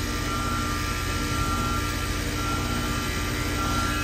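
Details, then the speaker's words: Goodman heat pump in heat mode, not heating, on R-410A; outdoor unit hums loudly with a rough, labouring drone and sounds terrible; another tech had added about 4 lb and leak dye; off pressure low; leaks found in outdoor coil, brazed, 13 lb recharged. "and we're back in the side yard we got this heat pump here it's not heating sounds terrible I guess there's a guy here that injected dye and charge up like four pounds or something like that"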